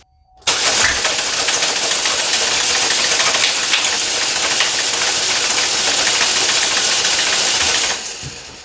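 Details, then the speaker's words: 2012 Chevy Malibu 2.4L Ecotec twin-cam four-cylinder, died while driving, crank-no-start with P0341 cam sensor code: fast even cranking at wide-open throttle with fuel pump relay pulled, loud air hiss blowing back out the throttle body, never fires; timing chain skipped, chain very loose. "well that's pretty interesting it's not supposed to be flying out of the throttle body like that uh i think we have a timing chain issue"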